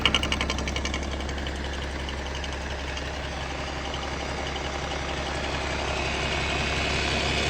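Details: BMW M57 diesel at idle, oil filler cap open: sharp, regular knock about three per second over diesel clatter, loud only with cap open; vacuum pump noise, harmless.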